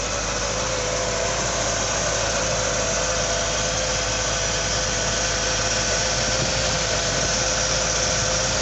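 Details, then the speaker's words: 1978 Ford P6 LTD barn find running: even, steady engine note with a light whine on top and no knocks or misses; gearbox shifts nicely, no diff noise. Normal engine running. "now this car does start and run quite well the engine sounds good the gearbox shifts nicely and there's no no noises from the diff [Music] so it actually sounds like a very good motor"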